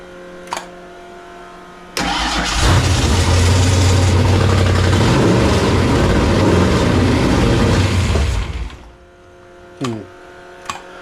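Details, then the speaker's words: Fox-body Ford Mustang convertible with supercharger, freshly rebuilt carburettor with float levels hard to set, fire-up with fuel squirt: catches and idles roughly about six seconds then dies; won't stay running, carburettor issue suspected, not timing. "I don't know how many carburetor experts out there give me a message on that would you it's like a fires but it just doesn't wanna stay running"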